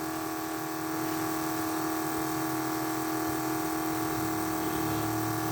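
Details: 1980 Trans Am nitrous fuel system: smooth constant electric fuel pump whine around 300 Hz with a faint low hum, no pulsing, while the pressure safety switch is adjusted; it later shuts straight off at 7 psi. Pump healthy.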